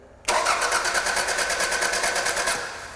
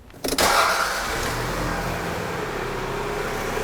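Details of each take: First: 1999 Toyota Camry 2.2L with broken timing belt cranking without starting; spark present but compression only about 40 psi; fast, unusually even cranking that spins too freely. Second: Engine after replacing a broken timing belt and the water pump catches after a brief crank and settles into a smooth, even run with a steady note; sounds healthy after the repair.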